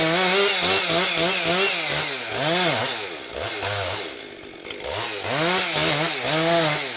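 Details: Rebuilt Husqvarna 262XP chainsaw breaking in, compression up, bucking low-grade pine firewood: crisp note bogs slightly in each cut and revs cleanly back up; running strong, picking up power, holding idle well, normal.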